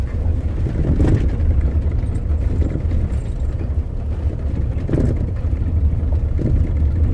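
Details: Dull knocks under steady low road rumble inside a moving 2005–2015 Toyota Hilux/SW4 pickup, from play in the brake pedal pivot bushing beneath the front of the cab.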